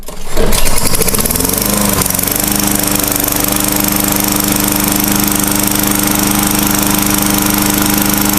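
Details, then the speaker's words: Tecumseh 4 hp 21-inch-cut lawnmower, cold start on fairly fresh fuel with oil not yet changed: catches on the second pull, speed swoops up, then settles into a loud, steady, even drone. "all right two poles mostly to come see start up with two poles just the way they work but i thought i'd film it"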